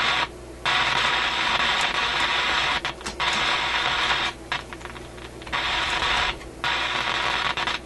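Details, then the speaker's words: Canadian General Electric KM-5 vacuum tube radio: loud rushing crackle cutting in and out every second or two with quiet gaps; noise persists with volume turned down, fault appears centred in audio output circuits; intermittent crackling noise. "that's interesting the volume turned down you still get the noise"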